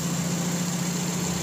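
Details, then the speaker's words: Car AC compressor after replacing the cracked clutch and pulley, air gap set with an extra washer: even, smooth idle with a steady low hum and no scraping or chatter as the clutch engages and stops; normal clutch operation. "Tingan natin pag nag-stop yon. Dapat ganun ka-smooth yung operation."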